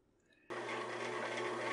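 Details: Cuisinart bread machine running program one (white bread) after start: the kneading motor kicks in sharply and settles into a smooth, even hum with a steady low drone; normal kneading run.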